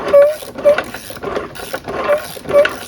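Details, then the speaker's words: Briggs riding mower engine seized from running dry on oil, being turned by hand to free it: gritty grinding bursts about twice a second from inside, which the owner suspects is the camshaft and crankshaft gears meshing. The sound is gone when turned the correct way. "You can hear it like grinding inside the gears. I think it's probably the camshaft and the crankshaft gear probably meshing. That's what it sounds like."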